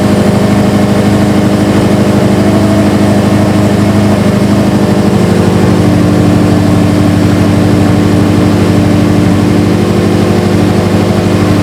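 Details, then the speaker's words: Subaru STI idling after a cold start following a Torque Solution cylinder 4 cooling mod install, warming up before burping the coolant system: steady flat-four burble with no knocks or misses; normal warm-up idle. "All right, time to fire it up. Let it warm up to temp, and we'll start burping the system."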